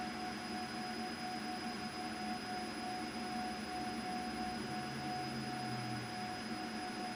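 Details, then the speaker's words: CO2 galvo laser marking with EZCAD lens setup during focal distance testing: steady, loud, clear high-pitched ring at the 5 frequency, the normal sound of marking at correct focus. "All right, that's nice and loud now. I can really hear it ringing out at the 5 frequency."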